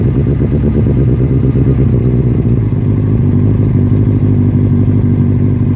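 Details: 1996 Suzuki Katana 600 bought as a cheap project: steady even four-cylinder burble with a smooth low hum and no knocks or misses; it starts up and runs really good. Normal running.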